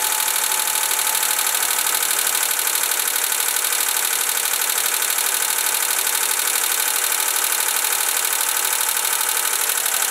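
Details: 1990 Honda Accord started after replacing the spark plug tube oil seals under the rocker arms: even, steady idle with a light regular patter and no stumbles or misses; the engine settles and runs smoothly.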